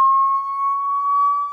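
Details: Samsung HW-Q800A soundbar connected by HDMI to an Insignia Roku TV, sitting on a bed to rule out nearby sources. A steady, thin, high-pitched electrical whine coming from the soundbar itself: a tonal buzz.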